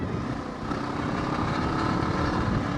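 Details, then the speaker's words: Kawasaki ER6f Ninja 650R riding and accelerating with a loud, raw exhaust roar and a buzzy rattle, the exhaust cracked and come away from the silencer; down pipes and silencer to be replaced. "And yeah, just like trying to accelerate, and just loads of noise. You can hear the silencer rattling as well."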